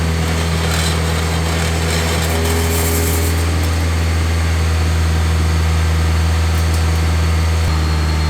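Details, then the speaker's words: K20-swapped Honda CRX after muffler install to quiet it down, exhaust tip on: deep, steady exhaust drone, smooth without rasp, way quieter than before with a good tone. "Well, it's definitely way quieter than it was before, and it has a good tone to it."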